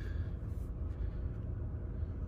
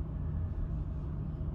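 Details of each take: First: 2019 Chevy Equinox after all four spark plugs were replaced for a misfire: low, even idle rumble with no stumble or stuttering, zero misfires on all cylinders. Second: Chevy Equinox with engine and traction control lights, shaking but not stalling: low uneven idle rumble with irregular stumble; suspected misfire traced to a faulty spark plug.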